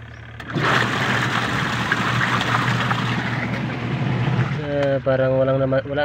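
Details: Top-load washing machine test run with water after replacing the noisy gearbox: steady low motor hum with no knocking or grinding; checked for leaks underneath.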